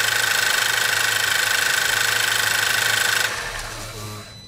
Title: PASSAT 3C2 1.8 TSI strange noise at the end